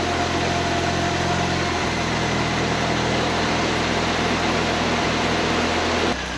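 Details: 1931 Ford Model A coupe hot rod, Ford 2.3L with Holley 2300 350 CFM carb, warming up: even steady idle with smooth low drone, no knocks, misses or squeals.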